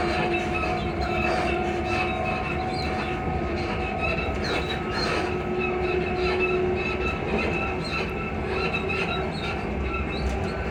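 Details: Class 334 unit 334031 rolling at speed on the Haymarket–Bathgate service: brief thin squeals come and go over the wheel rumble, a suspension squeak with the cause not pinned down.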